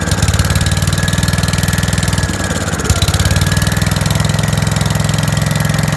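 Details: 5665 that was leaking gas out the carb, test run after carb work using starting fluid to start it; steady chuffing idle with a brief dip and recovery, running way too rich while the main jet is adjusted.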